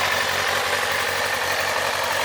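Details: 2007 Kawasaki ZZR600, carbureted DOHC inline four with a dented exhaust, said to be mechanically tip-top with rebuilt fork seals and a new cush drive. Smooth, even idle with a steady hiss and no knocks, misses or ticks. Normal idle.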